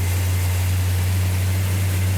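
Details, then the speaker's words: 1969 Plymouth GTX V8, cold start after ignition distributor setup, choke held, no priming fuel: deep even rumble, steady beat, no knocks or misses; running healthy. "like that justin sounds healthy what sounds healthy what oh it sounds good yeah fantastic yeah awesome awesome yeah good job"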